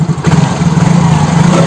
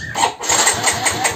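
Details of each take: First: Yamaha X-Ride (same as Mio J/Soul GT) injection scooter after a no-start fix (fuel pump not humming, dies with turn signals), charging 13.1–13.6 V: small single revs rise and fall smoothly with an even beat, no misses or rattles; normal revving. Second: Yamaha X-Ride injection scooter on the electric starter: the starter churns in quick regular pulses but the engine never fires. No spark at a 1 cm coil gap, no fuel pump hum, dead signal and horn. Traced to a dead fuel pump IC.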